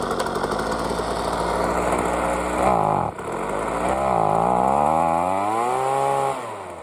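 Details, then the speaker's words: Ryobi two-stroke leaf blower after spark plug refit and long carburetor tuning: small engine buzzes unevenly, pitch sagging and surging, still a little boggy with unstable idle but runs; shut-off switch now working. "so I'll start it up quick so you can see it's still a little boggy but it runs all right"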